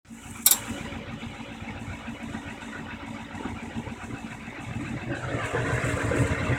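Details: 30-year-old Carrier/Bryant/Payne Day & Night gas furnace gives a sharp pop, then an uneven roar building over several seconds on light-off; the burner lights erratically, and insufficient draft is suspected.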